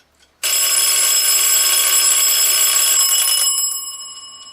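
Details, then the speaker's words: Forestville wind-up alarm clock after re-oiling, with the hammer bent and leveled to strike both bells evenly: fast, even bell ringing that starts sharply, holds for about three seconds, then fades as the alarm winds down. The alarm works normally. "so we'll set the bells off or the alarm off besides a little bit annoying it seems to be doing its job"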